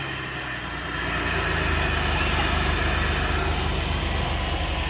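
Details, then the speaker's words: Wife's project truck, first run since purchase after sitting an unknown time; engine settles into a steady, even idle with a smooth low rumble, no knocks or misses. Normal idle. "So y'all seen we got it to run and it runs damn good, damn smooth."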